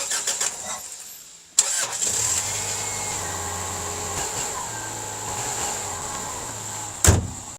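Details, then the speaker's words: Subaru boxer engine after spark plug change and oil-leaking valve cover gaskets noted: quick crank, catches at once, even steady idle with no misses; runs smoothly. "Runs nice and smooth."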